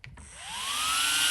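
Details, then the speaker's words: ARRMA Infraction V2 RC car with two 35mm Surpass Rocket 28,000rpm cooling fans replacing stock fans over ESC and motor: thin whine climbs fast then holds steady over rushing air, about three times stock speed; normal high-speed fan. "yeah boy listen to that now that is cooling 100 better three times the speed three times the speed"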